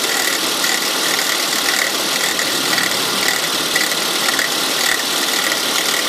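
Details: 2002 Volvo S80 2.3T: fast ratchet-like clicking over running engine on morning cold start, gone after about an hour's driving; workshop diagnosed bad alternator pulley, replacing it cured the noise.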